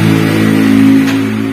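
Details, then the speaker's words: T120SS fuel-injected motorcycle starter spins freely with a steady whine and no cranking; the starter drive won't engage because the bendix gear shaft broke after a starter motor with the wrong tooth count (9 vs original 8) was fitted. "Oke, untuk langkah selanjutnya, karena kita bisa melihat motor starter sudah rusak dan terdengar berputar bebas seperti itu."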